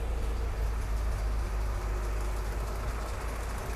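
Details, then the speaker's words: Jeep Kaiser CJ5, F134 engine freshly rebuilt with new piston rings (excess oil consumption), cold, hot weather, no choke, in neutral: steady deep low rumble with no knocks or misses, idling evenly; oil pressure about 50 psi on 10W-40. "It's running. It's cold right now. There we go. Running real good."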